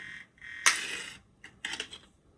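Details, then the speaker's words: PSP 3000 Monster Hunter model returned by a customer, UMD drive test; harsh high buzzing bursts, one long and several short, as the disc spins up, sounds pretty bad; owner wonders if the disc is at fault; UMD drive buzzing. "I can hear the drive moving, and that doesn't sound good. It sounds pretty bad, actually."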